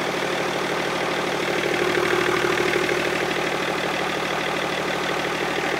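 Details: BMW E39 525d M57 diesel fitted with 530d bi-turbo valve cover and reinstalled injectors, first restart; even, steady clatter at idle with no misses or knocks: normal idle.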